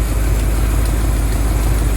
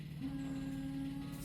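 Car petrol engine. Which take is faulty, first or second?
first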